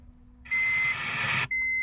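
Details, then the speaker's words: 1991 Honda Civic RT4WD wagon, just started after sitting for months: a high one-second beep, then a shorter one, from the seatbelt reminder chiming because its sensor was unplugged during an earlier jump-start attempt; engine idles smoothly. "My seatbelt alarm's yelling at me because I unplugged it from when I was trying to jump start the car before."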